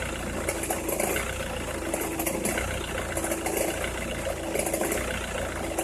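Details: Opel Meriva, cold engine at idle: irregular crackling bursts roughly every second over a steady hum, only when cold or at very low revs, stops once warm; noise localised to one side, cause unknown.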